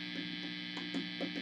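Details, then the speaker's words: Fender Twin Reverb '68 Custom reissue after swapping a microphonic preamp tube: steady low background hum and hiss, no ringing or microphonics even with reverb turned up high; amp also had a broken reverb-tank coax cable. "getting any kind of microphonics. no matter how high our reverb is turned up."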